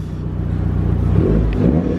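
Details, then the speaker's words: Mitsubishi Evo after intercooler piping and blow-off valve fitted, MAF connector reseated: revs climb smoothly then quick choppy fluttering chatter as throttle closes, turbo flutter on lift-off from the new blow-off valve. "Well, after at least all of this day, at least we can say we have flutters now. Listen, we actually have flutters, so."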